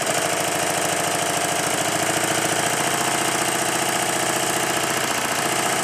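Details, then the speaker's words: Stuart triple expansion model engine with link pipe from high-pressure exhaust to intermediate cylinder fitted: steady, even brisk chuffing with no knocks or hesitation, a definite improvement credited to carefully timed intermediate cylinder valves. "with the link to the intermediate cylinder fitted there is a definite Improvement that's mainly because I really did take a lot of pains when I timed this"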